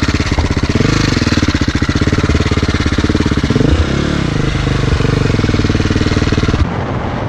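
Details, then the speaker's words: KTM 525 single-cylinder: fast even thumping that stumbles and sags when the throttle opens instead of revving cleanly; the engine bogs under throttle. "Nie widzisz, że on się kurwa dławi z gazem?"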